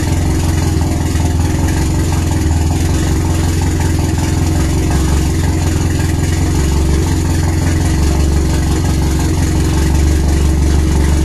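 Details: RWD turbo Nissan Micra (K10) at first start, after an injector seal fuel leak was fixed and a lambda sensor added; loud, deep, lumpy uneven chuff that never settles, described as sounding like a tractor; rough idle.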